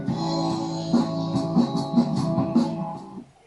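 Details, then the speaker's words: Fender amp after replacing the driver transistor (ECG) and a resistor on the circuit board: plucked guitar notes and chords come through clear and steady with no fuzz, crackle or breakup; repaired amp is undistorted and working. "see you can hear it's it's working it's not distorted"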